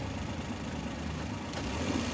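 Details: Mazda (Suzuki Every-based) 2012 with engine check light, code P0303 for a cylinder 3 misfire: rough, uneven idle with a dull irregular stumble; spark plugs being checked.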